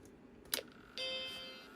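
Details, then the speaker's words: Macintosh II board, powered on after replacing the faulty ROM chip: a click, then a clean bell-like startup chime fading evenly, followed by video out. Normal startup chime after the ROM fix. "Oh, look at that. We have a good chime."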